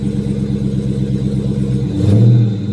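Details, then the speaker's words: Dodge Charger 392 V8 at auction yard: steady deep idle with even quick pulse, then smooth throttle blip rising and settling cleanly; engine sounds healthy, normal revving. "Listen to that motor, damn it. Oh, I need this in my life. I need this in my life."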